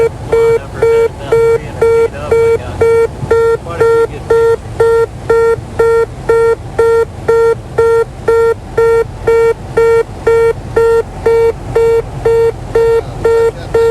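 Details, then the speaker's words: Cockpit gear-up warning during landing approach on a check ride: steady repeating beep about two per second because the landing gear is not down, crew ignoring it. "they are ignoring a warning system you'll hear a beeping that is the gear up warning system"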